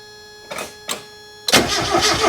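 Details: Mazda Miata after sitting a long time, heard before adding Rislone oil treatment. A couple of clicks, then it fires into a busy, clattery valve-train rattle at cold start. The rattle was worse the previous day and improved after driving.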